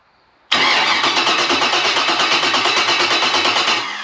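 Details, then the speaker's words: 6.0L LS engine for a 1987 K5 Blazer, on an engine stand, turned over before the Fitech Ultimate LS harness is connected: the starter spins it with an even, quick whirring beat of about seven pulses a second, then winds down; normal cranking. "Alright, so we got to a point where now we're going to see if it will turn over just before we hook the harness onto it."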